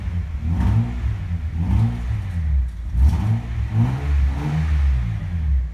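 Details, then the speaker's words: 1988 Acura Legend Honda V6, sat for 10 years, after new rebuilt OEM fuel injectors; it would barely rev before: deep smooth blips rise and fall cleanly about once a second, engine picks up and drops back freely. Normal revving. "Cette légende fonctionne à 100% mieux maintenant avec de nouveaux injecteurs Voici une comparaison avant et après maintenant, cela ressemble à une bonne Honda, ce moteur ne ferait guère rev avant"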